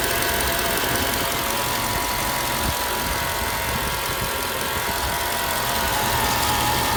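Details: Mercedes E55 AMG at idle: steady high-pitched whine at constant pitch over a busy, ticking idle; owner asks whether the harmonic balancer could be the cause, source unknown.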